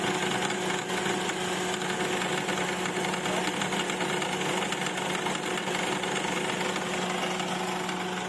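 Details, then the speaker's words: 2008 Honda CR-V K20 idling with the A/C on: a rapid, steady rattling knock from an overly loose belt tensioner, with the belt still okay; the tensioner was replaced to fix it. "magalaw na masyado yung ating tensioner so try natin palitan to kung mawawala ang ang naking noise kapag naka aircon"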